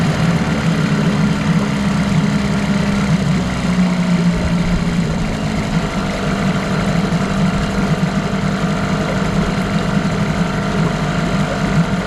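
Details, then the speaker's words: 1989 Evinrude Yachtwin 6 hp two-stroke outboard, parts motor, low compression suspected, JB-welded piece: idles with rough uneven low beat and faint hollow clocking; knock cause unconfirmed. "when I listen to it in the uh with the earphones on I thought man that doesn't sound very good A bit Clocky"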